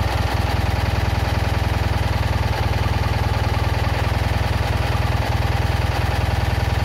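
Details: Citroën Ami 8 small twin idling with a beat about four times a second and occasional dropped pulses. Points spark heavily, the plug spark is weak, it coughs through the carburettor, and the engine is hot. Owner is certain the failed ignition condenser causes the misfire.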